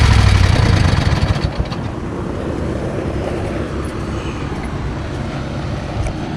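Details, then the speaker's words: Craftsman/Rally (AYP) push mower, Tecumseh Eager 1 engine, mowing on a hot day just after an oil change: drops in revs after the first second into a low uneven thrum; vibration pulls throttle down, smokes from muffler, owner suspects bad rings. "so it kind of smokes out the muffler which means the rings are probably bad and also after a while the vibration makes the uh throttle go down"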